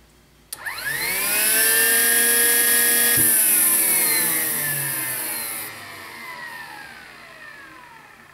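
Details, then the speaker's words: 2005 Chevy Trailblazer with code P0410; pump and solenoid already replaced. After the pump connector was cleaned, greased and plugged in, the secondary air pump spins up to a steady high whine, then winds down. Running normally. "now you know the sound I was listening for when we fired it from up top"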